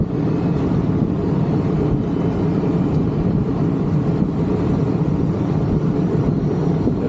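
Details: Condenser of a 1986 Rheem AC (about 37 years old) that was barely blowing air, running after a fan motor change (old motor about 1.3 A, new reading 1.2 A): steady low whoosh and hum, no rattles or scraping; normal running.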